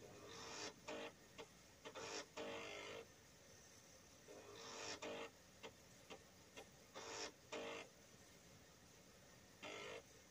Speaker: you can hear the Indus grinding away as the compiler completes its task